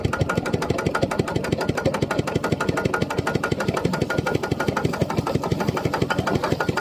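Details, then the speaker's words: Piston pump crankshaft assembly after adding about 1 litre of lubricating oil: steady, even chugging about three beats a second with no knocking; the earlier loud clunking was from running without oil. "โอเคครับมันมีเสียงดังเพราะว่าไม่มีน้ำมันนะครับผมใช้ได้แล้วครับผม"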